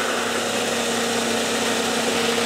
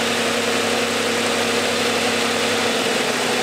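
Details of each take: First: 1990s car with six-cylinder engine at idle, all coil packs connected before a power balance test: even steady idle hum with no stumbles or dips; all cylinders firing, normal idle. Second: Engine power balance test at idle, six cylinders, coil pack connector for cylinder four unplugged: steady idle turns uneven and lumpy with an rpm drop, running on five cylinders, so that cylinder was firing.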